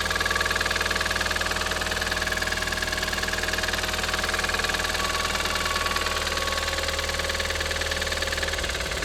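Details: Audi TT 225hp BAM engine at idle: fast metallic clatter at about four ticks per second. It is still present after replacing the lifters, chain tensioner and full timing. Compression reads 6.5 and 8 bar on two cylinders and 10 bar on the others. Cause undetermined.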